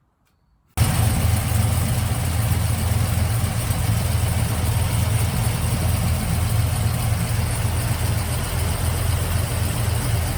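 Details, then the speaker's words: Trailblazer SS with a supercharged LSA/LS2 engine, idling with the serpentine belt removed. Steady, deep idle; the chirp that worsened as the car ran is gone, pointing to a pulley or belt issue. "so we're gonna do now is we're gonna remove the fan belt start the car up so you can hear or should i say not hear the chirp"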